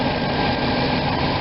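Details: RV V8 at night after new spark plugs and wires, with the cylinder 8 boot now fully seated after it had been arcing on the air cleaner and clicking: steady, even idle with no misses or ticking; runs much smoother.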